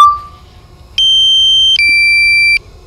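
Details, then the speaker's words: DJI Mavic Air on first flight: two clean steady electronic beeps, higher then slightly lower, each under a second, as it prepares to return to home; return-to-home warning beep. "about to see it return to home now my record button keeps clicking like it'll beep at me so I'm kind of thinking that it's splitting the files up into different chunks but we'll see"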